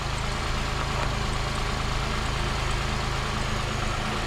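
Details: 2005 Pontiac Grand Prix 3800 Series III, 235,000 miles, after lower intake manifold gasket and water pump gasket replacement: steady smooth idle, no ticks or misses, no leaks; slight alternator pulley noise noted earlier, coolant air still being bled.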